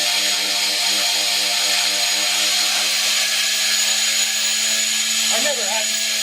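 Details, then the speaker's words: Two-stage Tesla turbine with plastic rotors spinning on compressed air after being unseized, shaft not connected: steady high whistle over loud airy hiss; suspected from air pressure oscillations, a Tesla valve thought to stop it. "Wow, that's making a whistle because of the oscillations in the air pressure, right? A Tesla valve would actually stop that whistle."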